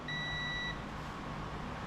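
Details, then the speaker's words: Copper King wire stripper that won't restart after shutoff: continuity tester beep sounds, cuts out, then chirps again as the probe holds on the off switch lug; bad intermittent contact on the 30 off switch. "I think that's our issue. You making contact now? We got bad contact on the off switch."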